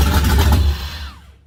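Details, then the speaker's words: LS-swapped Ford Model A, first start, fuel pump on relay, wiring harness found flipped: engine catches and runs rough only while the key is held in start, then winds down and dies once cranking stops. "It ran when I had the starter moving, so it's firing, but for some reason it's not idling unless I'm in the start position."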